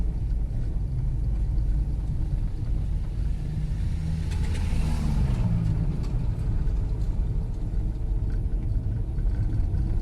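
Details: Fiat Strada driven slowly down a cobbled street after fitting a new TRW steering box and tie-rod end: only a low, steady tyre rumble with no clunks or knocks from the front end. The earlier suspension knock is eliminated.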